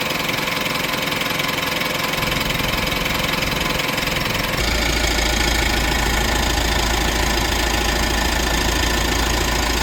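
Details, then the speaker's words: Mitsubishi diesel idling during ECU injector (SQL/pilot) learning, which runs on each injector four times as fuel pressure cycles: steady clatter, then idle speed steps up and the rattle gets busier. Higher rpm and rattle are normal during learning. "So that's why you will hear the engine um sounds maybe rattly maybe RPM go high sort of stuff."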